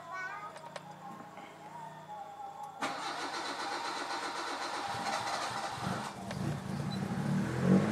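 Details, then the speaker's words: Mitsubishi Lancer CK4 tested cold with a customer's ECU: the engine catches but idles very low and dies, running rough only while the throttle is held; auto choke not working or faulty, no cold fast idle. "tuh mesin hidup tapi rpm-nya kecil sekali kemudian mati ya inilah yang saya maksud auto choknya di dia tidak bekerja atau auto choknya error ya"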